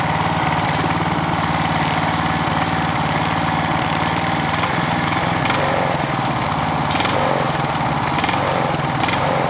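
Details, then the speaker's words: Clarke generator with Briggs and Stratton engine, after governor repair for over-voltage, low on fuel: steady even drone at constant speed, no hunting or surging; governor holds speed, max rpm still to be set. "let's see if she'll run shall we that's about right that sounds pretty good"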